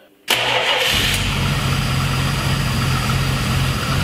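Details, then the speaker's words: 1970 Dodge Challenger, 225 cu in slant-six with new carburetor, cold start after pumping fuel up: cranks, catches at once, settles into a low, slightly lumpy idle; owner suspects idle screw needs raising but notes engine is cold. "I feel like idle screw maybe has to come up a little bit but I mean it is cold"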